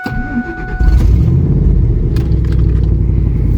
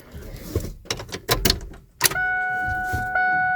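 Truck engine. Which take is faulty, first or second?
first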